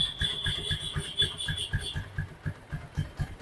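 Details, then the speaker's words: TVS Apache 4V after full engine rebuild (seized piston, broken rockers, new piston, bore, valves, timing chain, camshaft, bearings, original parts): even exhaust thumps at steady idle, no knocks, ticks or rattles; normal clean idle. "देखो सिर्फ exhaust का sound आ रहा है इसके अंदर में बाकी किसी भी तरीके का जो है साउंड बिल्कुल भी नहीं आ रहा है"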